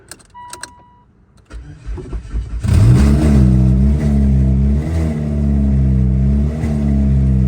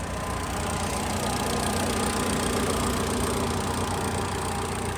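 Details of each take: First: 2016 Mitsubishi Lancer with a newly installed engine after 3 years of sitting; it cranks, catches and revs with a harsh, raw, loud bark rising and falling with throttle because the exhaust is not yet bolted on at the manifold. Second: 2016 Mitsubishi Lancer after an engine install, following a 3-year sit; smooth, steady idle at an even pitch with no ticking, knocking or stumbling. It starts fine and idles perfectly.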